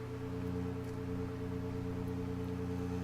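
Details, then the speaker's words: Fullerton tube amplifier built from Bendix radio parts (phase inverter), after replacing a failed coupling capacitor that put 20 V on a grid: clean, steady test tone without crackle, dropouts or buzz; amplifier passing signal properly. "So I got it fired up, and you can kind of hear it."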